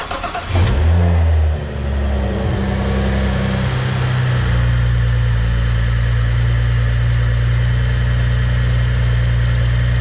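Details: BMW F10 535i, started after repair of a persistent vibration that began after it was bought used (mounts discussed): the starter cranks briefly, the engine catches with a rev flare, then settles into a smooth, even idle. Normal start and idle.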